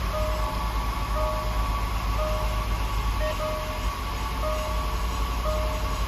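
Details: Land Rover LR4 5.0 V8, first start after timing chain and cooling system replacement; low, smooth, even hum with no ticking or rattle, faint chime about once a second: normal idle.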